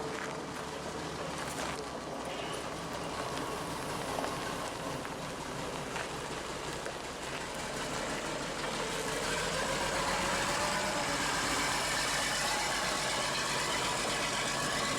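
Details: Bus diesel engine after a new 5.5 kW starter motor was fitted, first run on its own fuel supply: dense, even clatter at a steady beat with no misses or stumbles; normal running.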